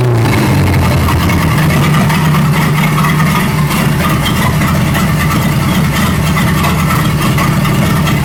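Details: 1937 Buick Roadmaster at a steady, fast, even idle that never settles; an unused starter solenoid on the carburetor props the throttle open too far regardless of idle screw setting and gets disconnected.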